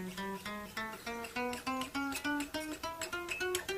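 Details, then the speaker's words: 1980s Washburn WR150Q guitar after fret levelling: single fretted notes climb the neck ringing cleanly at low action, the earlier buzzing gone after the final cut. "You can hear how that little buzzing, zizzing type of noise has gone as a result of doing that last bit of cutting."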